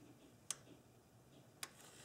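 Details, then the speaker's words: 1997 Nissan Maxima EGRC solenoid valve bench-tested with battery power to terminal 2, heard in a quiet room: two crisp clicks about a second apart as the plunger moves; solenoid working normally. "here we do have a clicking noise"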